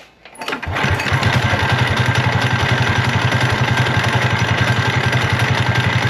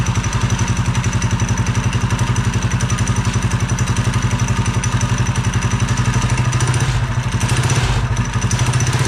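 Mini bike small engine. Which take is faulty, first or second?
first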